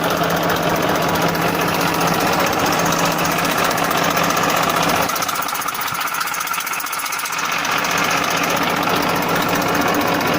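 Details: 1994 Massey Ferguson 1035 DI tractor diesel at idle: steady clatter about four beats per second, even hum with a brief mid-clip dip; normal, healthy idle.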